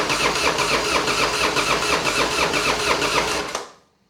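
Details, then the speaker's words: Harley-Davidson Fat Boy first start after repairing wreck damage, fuel lines reconnected: strong, even loping V-twin beat with crisp exhaust pulses, then clean shutdown; sounds healthy, and compression seems higher, maybe 10.5:1, though unchecked. "Oh yeah. There it is. It's back. Yeah, that sounds great."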